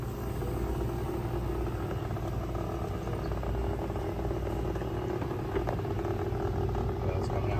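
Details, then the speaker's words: New MarinAire 11,000 BTU AC with seawater pump on a 1983 Endeavour 43 sailboat, replacing a rattling 20-year-old Dometic 16,000 BTU unit: steady low hum with constant mid-pitched tone, no rattle, blowing cold; normal running. "yeah so quiet it's super quiet the other one was just rattling and I had to duct tape it shoot from rattling"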